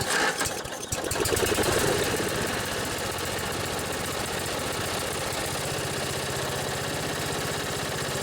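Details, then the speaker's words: Old Briggs & Stratton riding tractor engine, battery just charged; after a brief catch settles into a steady even idle with no knocks or misses, purring, though upper-end rpm could use work. "pretty sweet that old briggs just purrs like a kitten you could use a little work on the upper end rpms that's good enough for me"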